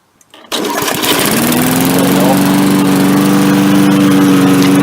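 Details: MTD Yard Machines 3.75 hp 22-inch push mower, carb only cleaned: catches on the first pull and settles into a steady, even drone with no misses or surging; running fine now.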